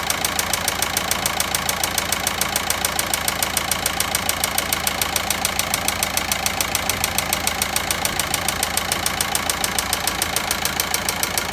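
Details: VW Passat 1.9 diesel at idle: sharp, very even ticking about 207 a minute over a steady diesel idle; clear engine knock, source still unknown.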